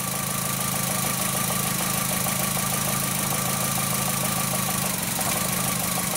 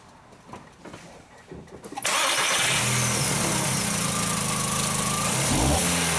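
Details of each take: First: 2004 VW Jetta 2.0L engine at idle with cylinder 3 coil lead pulled: uneven chugging idle with a recurring skip, no spark on number three; P0303 misfire. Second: 2004 VW Jetta 2.0L after fitting a known-good used coil: engine starts and settles into a steady, even idle on all cylinders, no misfires on cylinder 3 in measuring blocks; normal idle.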